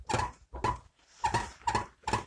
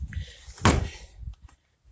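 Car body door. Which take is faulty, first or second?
first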